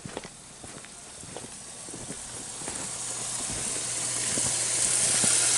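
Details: Pump house of an above-grade water tank after a 13-degree night froze the pump: hissing spray grows louder over seconds as water gushes under pressure from a broken sediment filter; fixed by replacing the filter with plain pipe.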